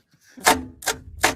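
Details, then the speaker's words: Abandoned farm-field truck: three sharp single clicks about 0.4 s apart with no cranking after the remote starter smoked. Owners suspect the solenoid rather than the starter motor, unconfirmed. "Must be the solenoid, not the motor. No? Sounds like it's throwing out, doesn't it?"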